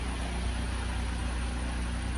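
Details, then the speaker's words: Boat diesel idling after the back end was repaired following transmission failure, raw water being drawn into the engine: steady even low drone, no knocks or misses; idling smoothly. "so i'm gonna start this engine first and listen to it and i want you to just watch in there you should see water coming up in there so seeing water is a good thing"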